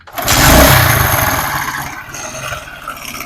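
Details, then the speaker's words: Motorcycle engine idling with a rapid, light metallic clatter from a slack timing chain; the fix planned is fitting a cheap tensioner spring. "यह दोस्तों आवाज जो है यह timing चैन की है लेकिन हम इस स्प्रिंग से खत्म करेंगे"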